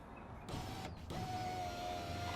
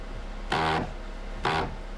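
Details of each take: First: 2007 Mazda 3, 13 years old, after replacing window regulator and power window switchboard; smooth, even motor hum at steady pitch as glass travels, no grinding or clicking; window works normally. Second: 2007 Mazda 3 power window after switchboard replacement, trying to raise it: two short bursts of harsh buzzing grind; stripped/shredded regulator wheel gear not lifting the window (motor or regulator suspected).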